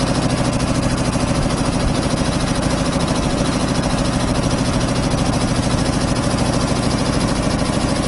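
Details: 25 hp air compressor on single phase through a 25 kVA transformer, just started and pumping up (unloads about 145–150 psi, reloads about 115): steady thumping about three beats a second, firm low pulse, no knocks or rattles; normal loaded running.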